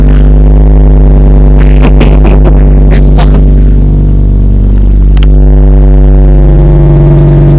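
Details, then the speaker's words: Volvo V70 2.4 with rear exhaust silencer removed, brief start: heavy booming drone, deep steady note with a flutter over the idle, very loud; loud exhaust with rear silencer removed. "Shut this up quick. Louder without a back box. That was loud."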